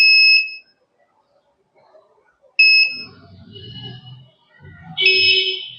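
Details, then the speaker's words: Microtek XP1400 inverter UPS on the bench after its crystal was replaced, wired to supply through temporary repair leads; on power-up it gives two sharp high beeps and cycles on and off, a new fault differing from the original constant beeping. "हमने इसमें install किया जैसे supply दिया तो यह beep किया और य जो है ऑन ऑफ अब हो रहा है"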